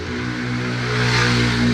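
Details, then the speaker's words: E-bike being ridden: loud steady droning hum with hissy rush, growing louder while riding; abnormal noise, later fixed by a mechanic. "At dun sa ano naranasan namin, natunog yung ebike, sobrang palakas na palakas siya"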